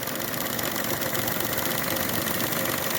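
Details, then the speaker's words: 2013 Chevy Sonic LT hatchback at idle with lean codes and P0420; slightly uneven, misfire-like beat with a faint hiss as short-term fuel trim climbs. Vacuum leak causing the lean codes; a hose elbow and clamp are then checked under the hood. "t almost feels like a misfire but it's not a misfire and there goes our short term going right back up there again guys this is a vacuum leak that's what's causing his lean Cod"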